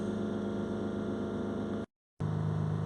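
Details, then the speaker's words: Range Rover Sport 3.0 TDV6 diesel with overboost fault from sticking throttle flap and full DPF, revs held about 3000 rpm for 5 minutes to regenerate: even steady diesel hum, no knocks or misses; DPF pressure dropping from 8 kPa. "we're just going to hold the revs here on about 3000 RPM for around 5 minutes."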